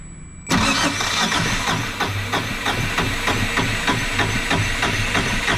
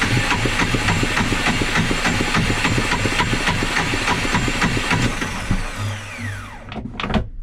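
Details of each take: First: Yanmar 2GM20 marine diesel after refitting cleaned starter motor, battery 12.9 V: brisk, even cranking about three beats per second, no grinding or slipping; starter turns engine over healthily, though it later still fails to start. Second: Yanmar 2GM20 marine diesel after refitting the cleaned starter motor, battery 12.9 V: even starter cranking about three and a half compressions a second for six seconds, never fires; starter engages cleanly and sounds healthy but the engine won't start.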